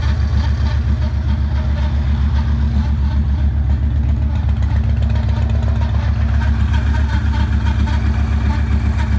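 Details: 2009 Yamaha Raider V-twin idling with a deep, lumpy thump and an odd, irregular clatter of unknown cause layered over it.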